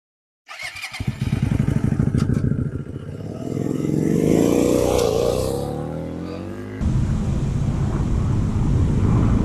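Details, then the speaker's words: Hyosung GT125R 125cc: small single starts up, then choppy uneven chatter rising and falling with throttle; rough running, owner suspects the air filter is half the reason and plans to change it. "Yeah, I'm going to get home and we can do the air filter, because I think that's half the reason why it sounds like an absolute bag of crap."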